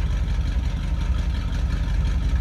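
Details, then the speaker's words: 1966 Ford Thunderbird Landau, 390 V8 four-barrel with automatic, heard at the rear: deep steady tailpipe rumble with an even beat, no misses or knocks; healthy idle. "390 four-barrel car so we're gonna have a little bit of rumble coming out of the tail of this car"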